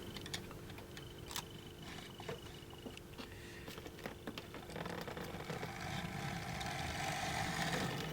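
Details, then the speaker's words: Hornby Jouef Eurostar 3211 model locomotive after repair of a split drive axle gear: light, even whirr with small clicks as it runs, no binding or grinding; the locomotive is back to running normally. "real lovely oops okay so that's up back and running I'm quite pleased with that"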